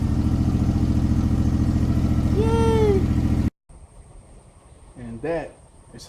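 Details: Gravely ZTR mower after its throttle/choke problem was fixed by rerouting the choke cable to a home-made lever by the seat: even, quick chug for about three seconds, then a clean shutoff; normal running.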